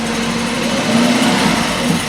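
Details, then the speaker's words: 2003 Nissan Frontier 2.4L KA24DE, FS5W71-C transmission, after clutch and pressure plate replacement, engine at 1,000 rpm in second gear: steady scraping rush over engine drone; bent dust cover plate rubbing, slight smell. "So, it works. It stinks a little bit. Something's rubbing somewhere."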